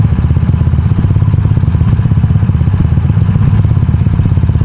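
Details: Honda Beat carburetor scooter bored up to 130cc, 2+ years of daily use, with racing exhaust, raised compression, new cam and piston, KW PE26 carb; deep even exhaust thrum, steady pulse, no knocks or rattles, engine runs cool; normal running.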